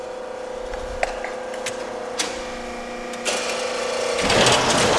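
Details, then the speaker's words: Used LVD JS25-13 hydraulic shear (1/4" x 13'), stroke turned down to about a foot for cutting straps, hydraulic hold-downs: steady pump hum, quick clean stroke clicks, surge at the cut; healthy short stroke. "you see how quick that stroke is. It only went about a foot here."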